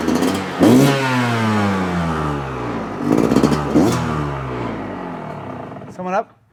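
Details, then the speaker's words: Yamaha YZ125 two-stroke, freshly started on choke after new crank (main) seals and gaskets: crisp revs rising and falling cleanly with no bogging or hanging idle, far better than before the repair; normal two-stroke running. "All right. That sounds good. We're going to open up some doors and stuff here, get the smoke out of here, start not breathing too much exhaust, and check it out. But that already sounds way better than it did."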